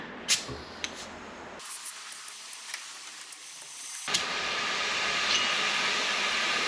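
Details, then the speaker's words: Porsche 996 Turbo boost leak test, engine off, intake pressurised by compressor to 20 psi which did not hold: sharp steady air hiss escaping from back of a damaged hose; boost leak found there. "okay I can actually hear it coming out from the back of this hose here so that wasn't too bad"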